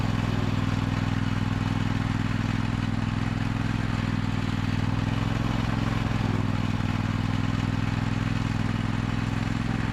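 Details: 2003 John Deere L120 hydrostatic mower, Briggs 20 hp V-twin, after bleeding the hydrostatic transmission: steady even low drone, no knocks, misses or surging; running smoothly.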